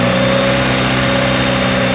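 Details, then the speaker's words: 2008 Jeep Patriot after new spark plugs: even, steady idle with a smooth hum, all cylinders firing cleanly; normal idle. "And it should run now. Runs like a dream now."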